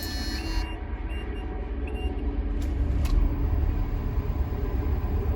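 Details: Cold start of a Caterpillar 3126B diesel, 92,000 miles, in a 2000 Holiday Rambler Endeavor RV, after oil pump and bearing replacement for low oil pressure. Dash beeps, then it catches into a steady low rumble without knocking. Oil pressure highest ever seen.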